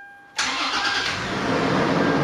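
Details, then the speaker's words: 2015 Toyota 4Runner TRD Pro started right after an oil change with 0W-20: quick crank catches almost immediately, then settles into a smooth, even idle while oil circulates; clean, healthy start. "There's the oil getting all the way through the engine. Sounds nice."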